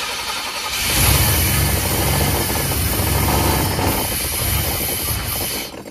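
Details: 1989 GMC Sierra C1500, 350 small-block V8, auction truck, gas poured in: cranks and catches, runs rough and uneven for about five seconds with loud fan, then dies; no fuel feed, about 60 psi oil pressure.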